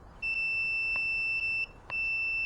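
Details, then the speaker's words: Honda Shadow clutch safety switch continuity test with multimeter: clear high beep twice, over a second each, with clutch pulled in, switch closed and passing current; silent with clutch released. Checked for no-start in first gear. "but if you pull if you pull the clutch together right you pull the clutch in and then you connect you should hear the beep that's me and the current go through it right"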